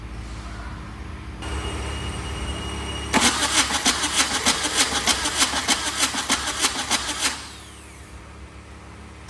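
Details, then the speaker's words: VW diesel-swapped Suzuki Samurai, loose injectors, ether applied: strong, even cranking about three compressions a second for four seconds, no firing and no fuel from injectors; injector pump suspected not injecting. "So I think the injector pump is not injecting."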